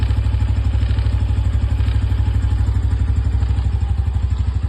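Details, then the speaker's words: New 2025 Honda Biz 125 motorcycle with only 77 km, idling with a quick, light metallic clatter tapping along with the engine beat, as if something inside the engine were loose. "Ó o barulhinho que faz esse motor, hein? Não sei se dá para ouvir aí, mas é como se tivesse alguma coisa solta."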